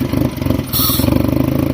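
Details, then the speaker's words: Fiat Stilo engine after engine replacement and new timing belt: lumpy, shaky idle with uneven firing pulses hunting instead of settling; rough idle, cause not yet found. "well as you here it's still shaky it's searching for air which you can hear look at it because it's opening closing so it's searching for air but"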